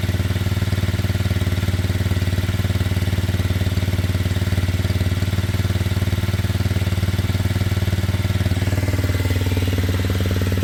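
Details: Kymco Zing 125 scooter with running issues sorted, idling steadily and evenly before a test ride, with no knocks, misses or hunting. The idle is perhaps slightly high and will be readjusted. This is a normal, healthy idle.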